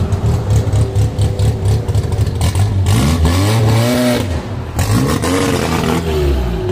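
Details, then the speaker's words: 1963 Austin Healey Sprite 1098 with race cam and straight headers, first drive after engine modifications, tune unfinished: uneven, lumpy cam idle that bogs and nearly dies as throttle opens, then picks up, wanting to stall on a little gas; stumble on throttle tip-in. "so well guys definitely very far from being perfect on the tune you can hear that she wanted to stall out when i gave her a little gas"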